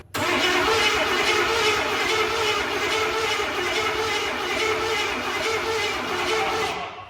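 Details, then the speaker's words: 1989 Ford F150 302 V8, parked for years with rat-damaged wiring and converted from fuel injection to a carb, fed fuel from a bottle: the starter churns steadily but it never fires; no spark, and a cheap distributor is suspected. "It don't sound like it's doing anything. Is your timing way off?"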